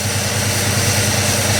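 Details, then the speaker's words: 1967 Lincoln Continental V8 at its first run after sitting for 29 years, idling to build oil pressure. A steady, even low rumble on all cylinders; the earlier ticking is gone and the idle is set high. Normal idle. "it's definitely quieter though you don't hear [Music] it yeah it's way quieter you don't hear the ticking noise anymore oh yeah way better"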